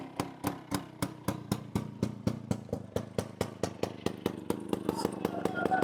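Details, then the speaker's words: 1998 Bajaj Chetak scooter at idle, silencer rusted through and shaking once started: harsh, loud unmuffled popping about four beats a second; loud exhaust from rusted silencer. "Silencer पूर्ण गंजलाय आता. Solid गंजलाय silencer एकदम. आणि गाडी सुरू केल्यानंतर हे पण हलतंय."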